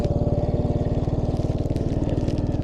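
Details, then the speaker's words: 1980 Yamaha XT250 single after carb adjustment for mid-throttle surging, warm on a test ride: even thumping at about nineteen beats a second with no misses; normal idle, judged a little too fast. "that's the way it should be stay a little too fast but let's see how she does on the way back"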